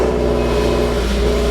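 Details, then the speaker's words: 500 hp Subaru STI that misfires only under load: steady, even low rumble at idle with no stumbles or dropouts, running fine with no misfires; a burnt exhaust valve is ruled out because the misfire isn't constant. "that she's running right now perfectly fine don't miss fires"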